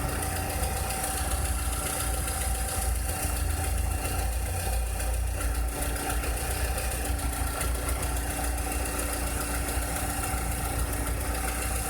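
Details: 2006–2007 Volkswagen SpaceFox engine idling: steady deep rumble with a faint constant hum on top; strange noise, cause not identified.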